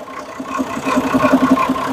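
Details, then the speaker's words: Perkins 6-cylinder diesel in homemade RV on 1966 GMC bus chassis, running after about 10 years unstarted, good oil pressure: even regular idle clatter, no stumbling or skipped beats; sounds healthy. "running after sitting that long it's been like what 10 years since it they last started it"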